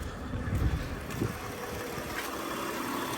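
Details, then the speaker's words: 1994 Acura Legend V6 idling with a steady, even low hum after a battery replacement: healthy, no knocking, not overheating, though the exhaust is smoking for an unknown reason. "As y'all can hear, it sounds real healthy. Doesn't sound bad at all. No knocking, no nothing."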